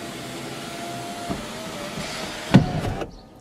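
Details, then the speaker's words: Car sunroof: steady motor whir then a hard double clunk as it starts to open before the motor stops; fixed by applying silicone grease to the sunroof opening, though later it failed to vent. "Is your car's sunroof clunking when you open it? Take a listen. Did you hear that boom boom when it went to open?"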